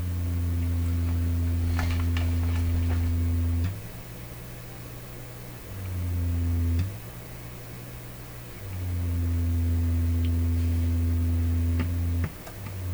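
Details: Canadian Pye Model 39HC valve radio, after relocating a replaced capacitor: low throbbing put-put tone in long bursts now taking up almost the whole volume control range; motorboating oscillation in the audio stage persists.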